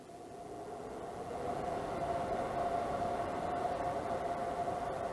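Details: Levoit LV-H133 air purifier after fan repair, on low: steady soft airy rush with a faint even hum near 700 Hz and no rubbing or rattle, though the blade is still slightly out of round.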